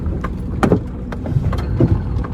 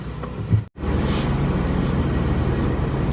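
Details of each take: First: 2003 Toyota Highlander: dull low clunks thump through the cabin from the front at low speed over uneven pavement and a manhole, not at high speed. Cause is worn front sway bar links, fixed with a new pair. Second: 2003 Toyota Highlander on a road test after two new sway bar links were fitted for a front clunk: even road rumble at steady speed with no knocks or clunks over bumps. Normal suspension, no clunk.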